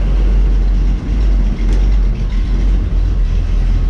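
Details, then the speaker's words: 1949 Chevy truck with Holley, first start: fires right up into a deep, steady, even rumble with no knocks or misses; air-fuel ratios good, temperature 140 degrees, 12 psi oil pressure. "there's the good news fire's right up everything's working"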